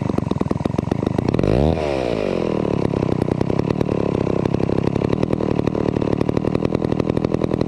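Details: Vintage McCulloch 250 chainsaw running after a restoration: crisp, rapid two-stroke popping rises with a quick blip, then settles to a steady, even idle; runs cleanly.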